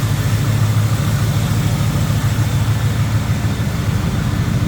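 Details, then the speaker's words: 1981 Chevrolet C10, 350 small block Chevy with Dart Iron Eagle heads, aluminum intake, headers, engine bay view: deep, steady V8 burble with even lope, no knocks, ticks or misses; normal idle. "Sounds good, looks good underneath"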